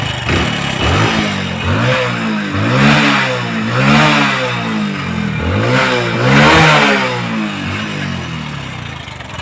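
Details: Hero Splendor NXG small motorcycle engine blipped repeatedly, then idling with a dry, fast metallic clatter from the cam chain before an engine rebuild that includes timing chain replacement.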